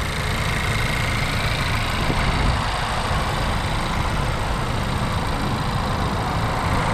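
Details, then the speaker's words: 2022 Honda Civic Si, 1.5-liter turbocharged four-cylinder VTEC direct-injection engine (200 hp): steady, even idle with a light, fast ticking over the engine note; normal direct-injection injector noise, nothing wrong. "you can hear that ticking sound from the direct injection"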